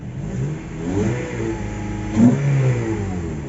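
The engine picks up smoothly and rises in pitch as the throttle opens, then settles back. It is a clean, healthy rev with no knocks or misses.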